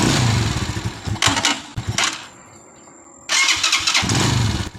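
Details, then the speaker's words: Rusi Macho 175 motorcycle, two push-button start attempts, each catching with a burst of loud, irregular banging from the engine; intermittent clatter on starting, cause unclear. "Ang lakas ng lagapak niya sa kanyang makina mga Kaloks. Pakinggan nyo mga Kaloks, ang lakas ng lagapak niya sa makina."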